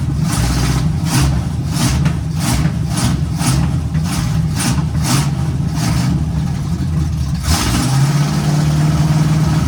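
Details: 1951 GMC cab-over truck first start, revving with an uneven pulsing surge about every half second and running rough; a big intake vacuum leak, before a temporary fix.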